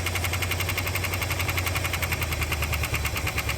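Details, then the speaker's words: 1960 Chrysler Saratoga engine first run in 39 years after crash: rough idle with fast light ticking over uneven exhaust pulses; little ticky, possibly a lifter, not confirmed. "she's a little Ticky though yeah it's only been 39 years since it crashed and stop running that ain't bad"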